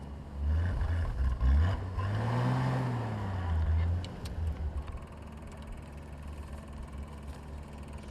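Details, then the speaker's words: Willys four-wheel drive on a snowy road trip: engine surges and stumbles as revs rise and sag, then fades; it's out of gas despite some fuel pressure. "Actually, that sound is the sound that it makes when it's out of gas. So, we'll probably have to put some in here."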